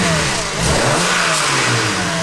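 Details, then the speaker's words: BMW 335i N54 after exhaust gasket replacement, owner under the car during revs: engine revs and settles with a faint tinny rattle on the exhaust note, no exhaust leaks; suspected wastegate rattle, unconfirmed. "We got no exhaust leaks, but I think that's like I think that's a wastegate rattle, bro."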